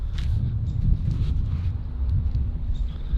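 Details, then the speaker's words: Nissan 350Z Nismo V6 after oil from a leaking valve cover filled a spark plug hole, lumpy uneven tractor-like idle, still misfiring after a first fix attempt; engine misfire. "And sadly, the car is still sounding like a shitty tractor."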